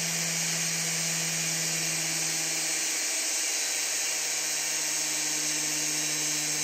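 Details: Big scrapyard brushless DC motor driven through a 30 A drone ESC by a servo controller: high thin whine holding steady, then shifting pitch midway as throttle changes; the motor spins smoothly.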